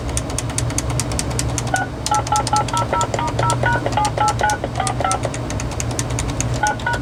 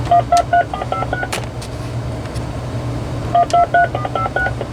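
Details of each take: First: RadioShack 2554-style corded wall phone (category 43-842), tone dialing heard over speakerphone: tones come in short, uneven bursts with gaps where presses fail to register, over a low hum. Keypad sensitivity issue, mainly keys 3 and 6, somewhat 1. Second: RadioShack 2554-style corded wall phone (category 43-842) on speakerphone, in tone mode: two quick bursts of dialing tones, each a clean run of distinct beeps. Redial sends the stored number correctly despite the keypad sensitivity issue on keys 3, 6 and 1.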